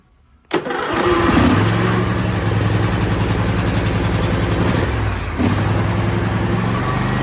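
A short crank, then it fires right up and holds a steady, smooth idle with no stumble. Starting system is working fine.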